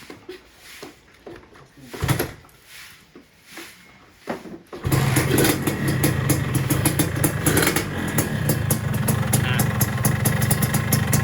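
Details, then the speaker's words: Two-stroke motorcycle engine (Satria 2T), revs rising fast: rattly noisy clatter from cylinder head and block, abnormal; possibly worn crankshaft or lean setting, owner suspects. "nah ini Suaranya berisik bagian koping dan EE di berisiknya itu ada di bagian blok juga teman-teman jadi bloknya agak bunyi berisik ini langs n gak normal"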